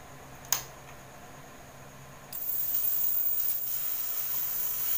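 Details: Chinese-brand Votre CRT television, dead: sharp click at switch-on, then a steady hiss rising and holding as the board smokes, with 116 V on the B+ line; the very hot horizontal-stage (collector) mylar capacitor is shorted.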